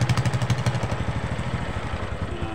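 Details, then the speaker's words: Honda Supra X 125 with noisy timing chain, after fitting an external spring to the cam chain tensioner to tighten the slack chain: quick blip settling into an even putter with no ticking or chain rattle. "Nah ini udah aman enggak bunyi lagi sama sekali udah aman karena tadi posisi Tensioner itu ini posisi Tensioner jadi tidak cukup lagi untuk menekan ke timing makanya timing itu kendor ya"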